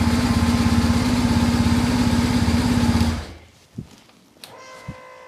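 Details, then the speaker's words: BMW R1150 GS boxer with intermittent no-start and battery drain: it starts this time, even pulsing idle for about three seconds then dies away; releasing the throttle seems to stop cranking, starter just spinning; owner suspects Hall effect sensor. "when I leave the throttle go all the way forward it's as if the bike stops cranking like completely and then it's almost as if like the starter motor is just spinning"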